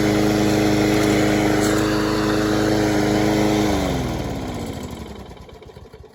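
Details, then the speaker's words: Troy-Bilt (MTD) mower after a blown Briggs Quantum motor: clean, steady, even note with no misses or knocks, winding down smoothly at shutoff; idle speed raised, maybe a note too high; healthy running. "might be a note too high. I could put my tachometer to it, but I did um speed it up a little bit. At first, I think it was a little bit too slow. Might be a note too high right now."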